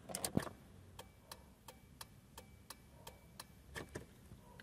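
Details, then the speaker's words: Car after replacing the hazard switch, which had caused turn signals not to light and a constant dash light: crisp even ticks at a steady quick rate in quiet cabin; signals working normally, fixed. "o próprio pisca-alerta. E tudo funcionando."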